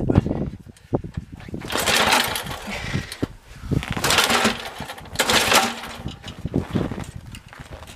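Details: Junk snowblower, about -15 outside, fuel fed through shroud, spark uncertain: repeated recoil pulls give a few ragged pops and coughs that die each time; catches but won't keep running, owner may try a different plug.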